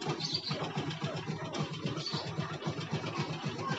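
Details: Yamaha Jupiter MX that starts then dies; small single chugging at roughly four beats a second, slightly uneven; stalls from fuel starvation, flattened fuel vacuum hose cutting carburetor feed.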